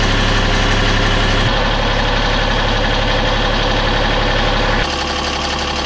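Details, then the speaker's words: Hard, regular knock about four times a second, tracking engine speed, at idle on a 1000 hp 6.7 Cummins Dodge Ram drag truck after a track run. Loose flex plate bolts are suspected. "uh a lot of guys commented in the last video you know maybe flex plate or flex plate bolts backing out"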